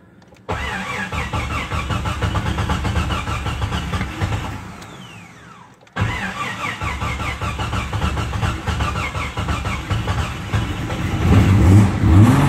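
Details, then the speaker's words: First start of new S&J 4.7 stroker engine, oil pre-primed: cranks and catches twice, then a fast, even high idle, aiming to hold 1800 rpm for 15 minutes; plenty of oil pressure, no knocking or ticking. "First start, S&J 4.7 stroker. It's already been primed. We should have instant oil pressure. Going to start it and maintain 1800 RPMs for 15 minutes."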